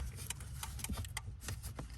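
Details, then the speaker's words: Ford Escape turn signals intermittently cut out while hazards work; sharp dry relay ticks about twice a second over a low hum stop and restart as the blue fuse/relay box under the dash near the hood latch is moved; suspected shorted wire or burnt pins. "There it goes. It just shut off, see? And if we hit it again, you hear it clicking again."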